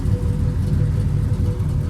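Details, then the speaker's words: Pontiac Grand Prix G-body with a cammed 305 small-block Chevy V8 at idle: deep, lumpy rumble with an uneven, stumbling beat and strong shaking in stop-and-go. Misfire suspected after a burnt spark plug wire; not yet confirmed. "the engine just shaking bad like something is wrong and it feels like it's missing"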